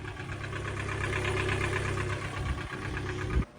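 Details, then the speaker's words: Kia/Hyundai engine, circa 2011–2018, warmed up and held at about 2,000 RPM: fast, light rattling knock riding on the steady run; rod knock, one of the known engine failure issues. "if it's not knocking at idle bring the idle up to about 2,000 RPM and you should be able to hear that little bit of rattle"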